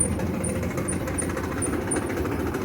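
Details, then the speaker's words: Whirlpool gas clothes dryer, noisy while tumbling before repair: low rumble with a faint high chirp repeating a few times a second, consistent with a worn idler pulley bearing. "Bueno, solamente hace un poco de ruido al momento de estar este centrifugando."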